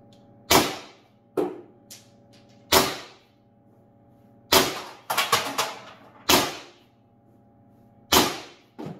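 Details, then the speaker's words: First Strike FSC carbine conversion on two CO2 cartridges, regulator four and a half turns from max, stock silver spring, 15-round magazine: sharp hollow pops at uneven intervals, three or four low-power shots. Launcher cycling normally, bolt sticking solved. "well kind of sounds like it's running and i shot all 15."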